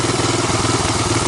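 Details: 1985 Honda ATC250ES Big Red single-cylinder after carburetor swap and adjustments, warmed up, choke off: steady putter, mild lumpiness, light valve clatter; valves untouched; not a bad idle; normal idle.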